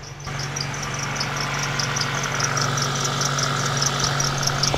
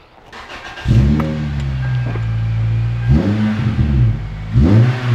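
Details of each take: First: Toyota Celica (1ZZ/2ZZ engine) idling with high chirpy serpentine belt squeaks about twice a second over the steady hum; belt fairly new, bearing or tensioner suspected during checks, cause found to be a misaligned crank pulley. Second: Toyota Celica after belt-squeal troubleshooting and repair: engine revs up and settles several times with a clean, smooth note, no chirp or squeal from the serpentine belt at any speed.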